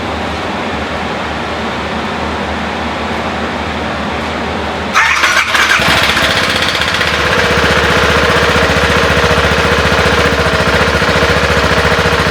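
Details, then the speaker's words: 2014 BMW G 650 GS single-cylinder starting after a DIY valve adjustment (shims) done over a noise the owner had been hearing. The starter whirs, it catches and settles into an even, steady idle thump with no ticking; idling better. "I think I can tell it's idling better now that sounds like a German machine"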